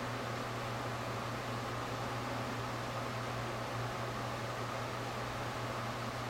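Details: Printer print head returning to maintenance station makes a steady airy gas-leak-like hiss over low mains hum; began two months earlier, went away after maintenance station replacement, then returned, followed by errors requiring several shutdowns.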